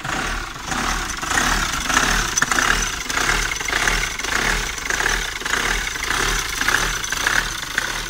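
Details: Hyundai Tucson on first cold start in the morning: a lumpy, surging tickover rising and falling about every second. It also stuttered and lacked power on the road, yet passed diagnostics; cause unclear.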